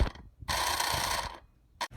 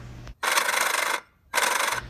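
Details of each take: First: Toy hauler auxiliary fuel transfer pump after sanding its gears and reassembling: even buzzing whir under a second with no binding or catching; pump spins freely after repair. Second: Old electric auxiliary fuel transfer pump on a Weekend Warrior toy hauler fuel station, powered by jumping: short raspy whirring bursts; locked until cover bolts loosened, so aged plastic gears swollen and binding against cover.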